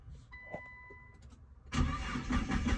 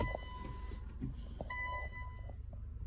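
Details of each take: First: Nissan GT-R R35 with code P1220 (fuel pump module), tester light on the fuel pump cables: quiet pause, then steady rapid cranking that never catches; no pump power, crank no start from a blown fuel pump fuse. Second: Nissan GT-R R35 with code P1220 (fuel pump module), which had a no-start from a broken fuel pump fuse, during fuel pump power testing: quiet electrical hums and faint pump buzz, then the engine cranks and catches cleanly; normal start.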